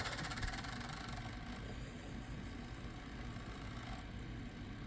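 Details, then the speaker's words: Gateway Solo 2500 laptop reading a restore CD burned at 24x: irregular rapid coarse chattering and whirring, the optical drive straining to read; cause suspected, not confirmed, though it then booted from the disc. "Oh boy, that doesn't sound good. Okay, unexpected development."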